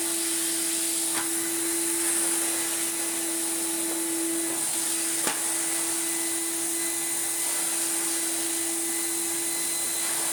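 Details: Refurbished commercial Numatic BX190 (BX.BX) vacuum cleaner with original single-pedal floor head: steady mid-pitched motor hum over smooth airy rush, constant with no rattle or pitch wobble; healthy after restoration.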